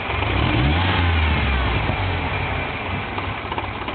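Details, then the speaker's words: 1997 Ford Ranger at idle after replacing MAF, IAC, plugs, wires, coil packs and vacuum hoses: revs rise then sag into a lumpy, stumbling idle that shakes and nearly stalls; persistent misfire. "And as you can tell, it's not idling the way it should be. I'll give it a little bit of gas. And it proved me wrong. There it goes. See, it's trying to die."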